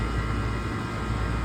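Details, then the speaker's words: Walk-in freezer condensing unit (built 2013) with temperature swings, heard while running: steady, even low compressor hum and smooth condenser fan rush, no knocks or rattles. Compressor and fans are normal; the sight glass shows a slight drag of bubbles. "Compressor sounds good, fans look good."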